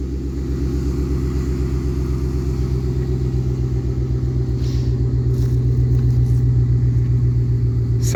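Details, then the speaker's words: 2005 GMC Envoy Denali 5.3 V8 idling just after an under-hood fuse box replacement and battery reconnect: deep, even rumble with a steady beat, no knocks, misses or rattles; normal, healthy idle. "Let's see if this thing will fire up. And there it is, ready to roll."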